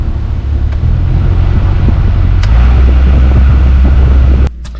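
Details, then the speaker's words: 2013 VW Beetle HVAC blower motor behind glove box, even with A/C off; loud heavy rumble and fluttering from the dash fan; foreign object lodged in the blower wheel. "It's been home for about five days and the blower motor just sounds absolutely horrendous and so pretty sure it's going to need to replace."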